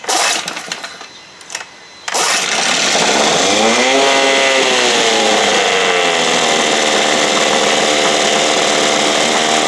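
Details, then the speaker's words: 1968 Evinrude 6 hp outboard, carburetor running lean: brief stumble, then fast steady buzzing with revs swelling and settling as the air screw is opened further; it needed more air, plugs due for replacement. "she needed more air drain it out and you know the float will come back down and then pump it up a little bit"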